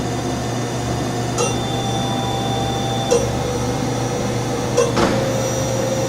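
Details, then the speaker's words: Okuma & Howa Millac 438V CNC vertical machining center (1998, 17,700 cutting hours, Cat 40, no tool) spindle at 2,000 rpm in low range, about to shift to high: quiet, even low hum, steady tone, no grinding or rattle; normal, healthy bearings. "But it's in, it just sounds just as well in low range as in high range."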